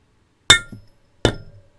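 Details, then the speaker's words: 12V VR6 cylinder head, valve stem seal being tapped on with a rubber mallet after sliding it on slowly, microphone brought close: two sharp bright taps with short ringing tails, tone changes when seated; valve stem seal seated. "hopefully you guys heard that uh everything is oem spec awesome if you heard that that's really good because it did change noise it did change its sound"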